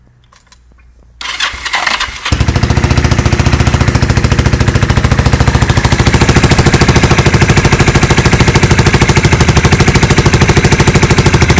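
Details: Engine cranks briefly and catches into a loud, raw, rapid puffing rattle because the exhaust manifold pipe has snapped before the muffler.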